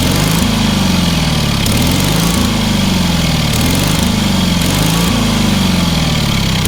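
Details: Engine on a free, long-neglected trailer-mounted man lift (cherry picker), pressure-lubricated with quite a bit of water in the oil and a corroded intake, throttle half open; firm running beat, speed swelling and easing every second or two, no knocks; runs amazingly well.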